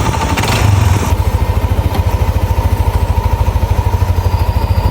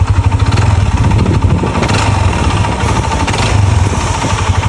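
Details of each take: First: Yamaha NMAX scooter with a Juken ECU, after a major service: the scratched block and piston (stuck piston rings, oil passage problem) were replaced with a genuine set. It now idles with a steady, even thrum and a light rev; the earlier noise is gone. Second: Yamaha NMAX scooter engine idles with a rough, uneven clattering knock, like a grass-cutter engine, plus vibration; stuck piston rings and oil passage problems scored the piston and cylinder block.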